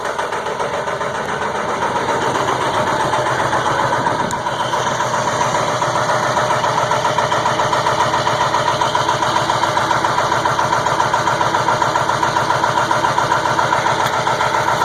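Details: 2002 Ford F350 7.3 Powerstroke diesel at about 34°F, glow plugs warmed two to three minutes, finally catches after about 8½ minutes of cranking, settling into uneven, clattery cold idle with faint wobble and white smoke; hard start cause unknown.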